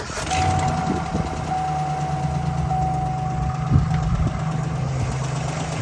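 Steady idle with a light, fairly quick ticking riding over the low engine rumble; the tick is audible, but its source isn't clear. Cause suspected, not confirmed.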